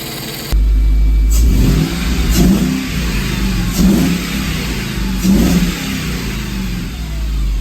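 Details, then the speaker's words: 1998 Mercedes W202 C43 AMG ute revved three times after replacing stuck EGR valve, MAF and coil pack for P0300 cylinder 5/7 misfires that bogged above 3500 rpm; crisp, even revs with no stumble, problem fixed. "This sounds remarkably better now. All right, there you go. That was the problem."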